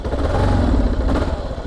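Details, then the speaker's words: Kawasaki KLR 650 single, warmed up after running choked: the thump rises on throttle but wavers and stumbles instead of climbing cleanly. Revs intermittent, possibly a fuelling problem such as a blocked carb jet; not confirmed. "But the revs are intermittent. It should be a little bit more consistent still, so I think we still have a problem."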